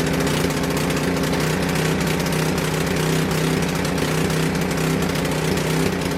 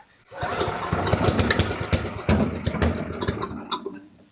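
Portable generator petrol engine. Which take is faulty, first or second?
second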